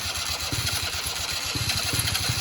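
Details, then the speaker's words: Quad not run in a while, weak battery, on battery charger: rapid uneven cranking thumps with an occasional stronger pop, trying to catch but never settling into a run; cranks but won't start. "oh there she goes oh he's trying to start boys oh come on old girl come on old girl"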